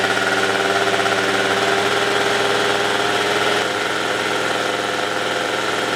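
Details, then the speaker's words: Yamaha Zuma (vertical Minarelli) first fire-up on a new Polini Evolution 70cc cylinder kit with lots of assembly lube: buzzy two-stroke idle holds steady, then sags and settles a bit slow, idle low. "Oh, she wants to fire. All right, here we go. Little low on the idle, but that's okay."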